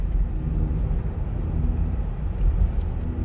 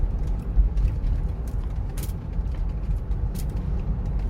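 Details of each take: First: Rear-wheel-drive Sorento driving and turning right, where noise and steering-wheel vibration appear: deep steady drone under road rumble, no knocking; worn driver-side hub bearing humming under cornering load. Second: Sorento test drive at speed while turning right, earlier hum blamed on a worn driver-side hub bearing: steady low road rumble with no speed-rising drone; wheel bearings quiet and healthy.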